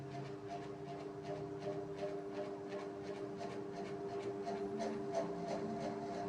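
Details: SK ceiling fan: a very loud, steady hum with a few fixed tones holding constant while the fan runs; the source of the hum is unknown.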